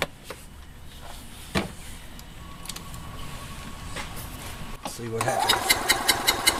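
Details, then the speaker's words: Gas EZGO TXT golf cart twin running rough and skipping badly; spark good on both plugs; compression test gives about 130 on the driver side, none on the passenger side; starter turns it over with a lopsided, uneven rhythm: one cylinder has no compression. "happens ah look at there look at there no compression let's try it again uhhuh okay so at this point there's no need to go on to the next step"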